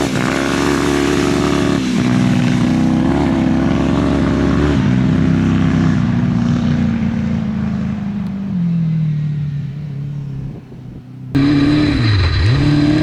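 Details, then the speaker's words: Honda CBR 1000-engined off-road buggy on a test drive in high range, first gear, after gearing and shifter fixes. Ragged, raspy, uneven beat under throttle, like a miss, not running full power. Suspected junk needing cleaning out, not confirmed. "Does it feel like it has a miss or anything? It sounds like it's definitely not running right. It sounds like it has a miss, like it's It's definitely not running full power, but this thing is finally drivable."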